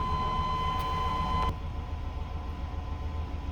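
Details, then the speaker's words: 1998 Chevy C1500 restarted after the clogged fuel filter was replaced to cure a crank-no-start. A warning chime cuts off, then a low, even engine note settles with no stumbling or misses. Clean idle after repair. "Alright, so we got it running."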